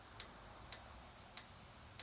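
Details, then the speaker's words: Junkyard GM 5.3 V8 fuel injector number two pulsed on the bench with pressurized rail: sharp crisp ticks about every 0.6 s over quiet background; injector leaks and drips fuel as soon as pressurized, before firing. "let's see fuel pumps on and this injector is leaking fuel yeah as soon as you pressurize it it starts leaking before it even starts working not good"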